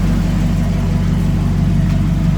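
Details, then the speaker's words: Barn-find 1967 Chevrolet KC10 truck, carbureted engine that had sat a long time and just got a new battery, idling after a flooded start: deep steady low rumble with an even beat, purring smooth, normal idle. "It sits there, purrs, smooth."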